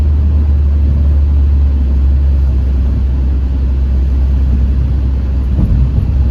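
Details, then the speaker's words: Ford Focus test drive after wheel bearing and valve cover gasket replacement: whisper-quiet steady cruise with only a low engine hum, no growl or drone building with speed; the engine is a bit loud and the motor mounts need redoing; normal road noise, no wheel bearing noise. "Yeah, it's whisper quiet now. The only noise is the engine, which I'm going to have to do the motor mounts again. But yeah, sounds smooth yet again."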